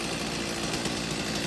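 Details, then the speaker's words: Stihl 039 chainsaw after replacing the bad clutch roller bearing under the sprocket and unclogging the oiler, with a freshly sharpened chain: a steady, even two-stroke idle buzz with no stumbling, idling perfectly and running really nice. "idling perfectly. Running really nice."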